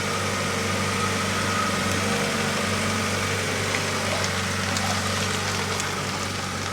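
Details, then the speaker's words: 1991 Honda Civic after 10+ years sitting, idling after head retorqued following suspected head gasket issue (first torque per manual apparently insufficient): smooth, steady low hum, no knocks, misses or stumbles; nice and quiet, problem appears fixed. "Nice and quiet. So I think we got it figured out, guys."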